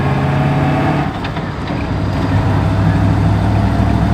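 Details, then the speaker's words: Land Rover Defender 90 V8 on a road test before its engine replacement: deep rumble with an uneven, lumpy beat; misfire. Likely worn camshaft and definitely low ignition output. "Just gives us a better insight into how the car drives beforehand, whether it's got any issues like so it's got a little bit of a misfire. It's not exactly a smooth V8."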